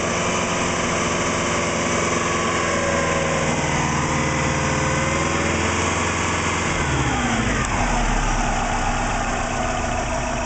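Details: Engine warm after about 10 minutes of running, after the spark plugs were reinstalled, the engine hand-rotated, and the coil packs and timing belt checked. Vacuum a steady 20 inHg, idle oil pressure about 38 psi. Revving shows only light valvetrain and injector clatter; the earlier low knock (suspected piston slap) is gone.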